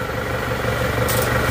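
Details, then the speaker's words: Isuzu D-Max diesel just started after nozzle repair; standard idle about 750 rpm, steady even clatter, no misses or shake, gear lever no longer shaking as before; normal idle. "rpm nya di RPM standar ya bukan RPM yang kita tinggikan tapi ini standar ya sekitar 750 RPM lah hidupnya langsung stabil tidak goyang"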